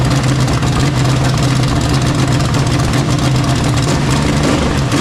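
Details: Freshly rebuilt Chevy 350 small-block V8 running after final assembly: strong, even rumble with a steady low beat and no knocks or misses, normal running.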